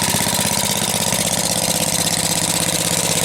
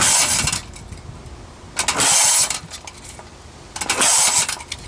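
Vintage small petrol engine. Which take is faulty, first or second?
second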